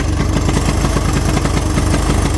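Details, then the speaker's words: 1983 Honda 200E three-wheeler single-cylinder engine, first run after revival: loud, uneven, stumbling idle with no steady rhythm; the carburetor won't run right. "Well, I guess I'm gonna have to get me a carburetor kit. It doesn't want to run right."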